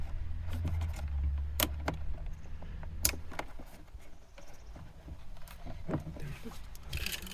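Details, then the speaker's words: Audi S3 8L central locking pump, after reconnecting and blocking vacuum lines, previously much louder when failing: low steady hum about three seconds then clean cutoff as it builds pressure and locks; working normally. "right now you can hear it making pressure and uh like locking everything up and well it's working"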